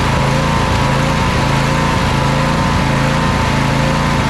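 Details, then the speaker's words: Briggs & Stratton V-twin on a Craftsman riding mower after carburetor replacement: high drone with speed rising and falling in waves, faint popping and crackling; still surging, cause not found; air leaks sprayed for, spark plug to be swapped next. "it sounds like we're still getting a little bit of surging from the thing uh still getting a little bit of popping and crackling"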